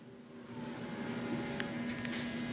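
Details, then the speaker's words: 2003 Dodge Ram 3500 dually with an upgraded fuel system, lift pump run on a relay jumper before starting to check pressure and leaks: steady, even electric hum comes up quickly and holds. The pump is running normally and pushing fuel. "you can hear it it's it's pushing fuel"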